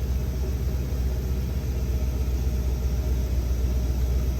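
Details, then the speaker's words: 1975 Lincoln V8 after reassembly and ignition timing set to spec 14 degrees: deep, even rumble, steady pulse, no clatter or misses; smooth idle, exhaust manifold gasket clanking gone, was rough before. "I am so thrilled this thing it is so smooth running it was rough before thrilled it runs awesome sounds good as far as it doesn't have that clanking or clacking exhaust manifold gasket that was awful"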